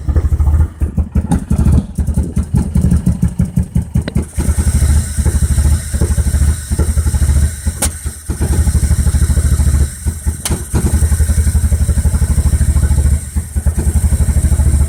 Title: B21ft Microsquirt rough idle